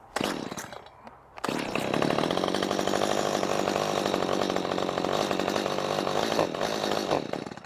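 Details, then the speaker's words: Hot Stihl chainsaw on fresh gas-oil mix, about 83 degrees out: catches and revs briefly, then sags, sputters and dies when throttle is given, as if starved of fuel; randomly stalls, cause not found. "see as soon as you give it a little bit of gas it just starves out"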